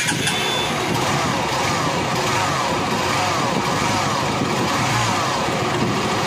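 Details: Honda Unicorn motorcycle engine with clutch cover opened to isolate the noise: steady gritty roughness under even running remains, not from clutch side; engine bearing rough sound, cause found after removing the bore.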